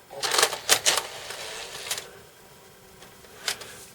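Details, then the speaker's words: Sony PS3 Fat Blu-ray drive under repair, previously not spinning or reading, loading a PS3 disc: hard clunks then isolated clicks, laser audible; drive mechanism clunking and disc still not read. "Although that was clunky. Well, that's the best it's done, but I could hear the laser."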